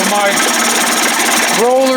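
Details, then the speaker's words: Johnson Tracker 25 hp outboard converted to 30-35 hp with bigger carb and 72D jet, throttle just above two marks: smooth, steady two-stroke buzz, quiet, no knocking or misfire, pulls fuel quickly; normal idle. "oh boy look at that it just pulled some gas wow 72d that was fast quiet sounds good so"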